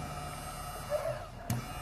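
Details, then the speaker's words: Fuel pump for a 2001 Town & Country 3.8, bench-tested on direct power to check polarity: faint steady quiet hum over room background; barely audible, running normally. "Casi ni se oye tío sí"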